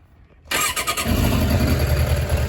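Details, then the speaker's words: 2006 Suzuki GSX600F K6, which lost its idle mid-ride: with the carb refitted using spare parts and the engine warm, it fires first crank and settles into a steady, even, healthy idle. "runs okay. So I'm gonna take her out for a spin, and then to be sure everything is warm, and then I'm gonna just idle."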